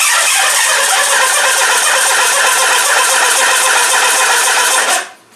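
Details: Mitsubishi RVR 2.0 L petrol: harsh rattly running for a few seconds then dies abruptly; fires only on petrol poured into the intake, so fuel injection is missing; carburetor manifold conversion planned.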